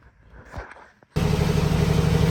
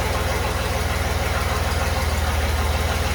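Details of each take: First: Willys Jeep CJ5 with swapped Chevy 4.3L V6, swap finished with O2 sensor, muffler and custom tailpipe, recorded on an iPhone: quiet start, then a low even rumble with a steady pulse and no knocks or leaks. Normal smooth idle. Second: Chevy 4.3L V6 swapped into a Willys CJ5, exhaust only run halfway back with no muffler. Deep, lumpy idle chugging about three pulses a second, down on snap. Retarded timing: the distributor cannot rotate far enough to advance it.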